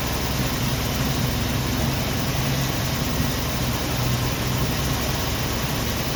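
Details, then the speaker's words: 1990 Jeep Wrangler carbureted engine idling in neutral, still being tuned; steady low idle with an uneven, lumpy beat, shaking and then stalling; owner thinks it is missing, cause not found. "sounds like he's missing shaking like the dickens and quit me so"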